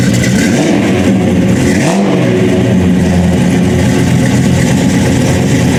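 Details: Dodge Charger General Lee with a 426 Hemi and 871 blower, about 800–900 hp but detuned for the street: deep even idle with two clean quick blips rising and falling smoothly; normal supercharged V8 idle and revving.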